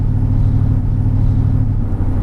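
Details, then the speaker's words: Mercedes-Benz E55 AMG W210 with Kleemann 55-K2 supercharger, stationary idle at traffic lights: deep, lumpy idle with uneven pulsing beat, whole car wobbling; multi-cylinder misfire traced to Bosch F5DC spark plugs. "yeah you can hear the car is not running right at all even there at the traffic lights as well when we're stationary and the car's idling the whole car is wobbling"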